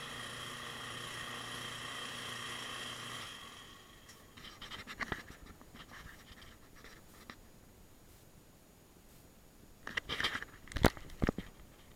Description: Washing Machine makes noise. Agitates slowly, won't spin.